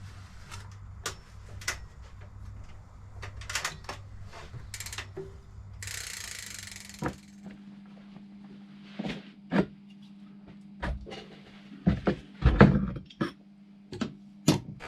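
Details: Fat bike with Hope Technology hubs, after servicing the hubs and bottom bracket: bursts of crisp, even freehub ratchet clicks as the wheel spins and coasts, with no grinding or skipping; a normal, healthy freehub.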